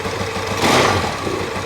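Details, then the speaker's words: Motorcycle after kick start: small engine settles into a fairly even, steady, unstrained idle, sounding healthy; normal idle. "Sounds pretty good. Yep, they're both warm."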